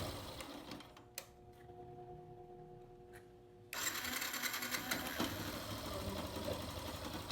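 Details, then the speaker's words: 2018 Yamaha Factor 150 idling after replacing a loose timing chain: small single-cylinder engine running evenly, quieter, with only a light clutch basket rattle remaining. "Isso aqui é as rodas só da campana de embreagem, a campana batendo. E ficou bem calado."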